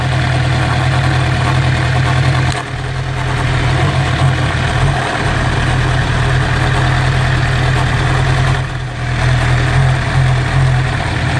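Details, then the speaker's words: Suzuki GSX-R inline-four motorcycle idling: beat stumbles on and off as one cylinder drops in and out, intermittent misfire. "that misfire is bothering me too you hear it coming on and off there's a cylinder dropping in and out it's going from three to four cylinders"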